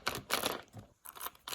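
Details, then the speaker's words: WL Toys RC car differential run with no grease: short harsh gritty bursts as the drive turns, rough and scraping instead of a smooth whir; crown wheel worn and pinion teeth stripped off; stripped differential pinion gear. "you can also hear how bad that sounds this is the one that was really badly wore you can see there's nothing on the crown wheel on this side the bearings are probably still good but the pinion is just shot"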